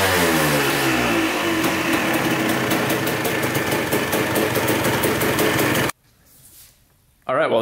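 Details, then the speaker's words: 1986 Honda CR250 two-stroke, sitting over five years, started right up on fresh gas: crisp revs rise and fall cleanly with throttle blips, even firing, no leaks after about 20 minutes of running; healthy. "sounds really good um putting fresh gas in it started right up no leaks whatsoever"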